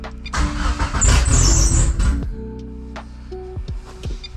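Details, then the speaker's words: 2G GSX on a FuelTech ECU: engine catches and runs rough about two seconds, then pitch sags and it dies; stall after start from excess post-start enrichment and too low an idle target, fixed by reducing enrichment and raising target idle. "So the car started, but didn't stay on. Let's see what that's about. So when you're in FuelTech, it starts with the engine start table, and it sounds like the engine's starting, and then it goes to post-start enrichment."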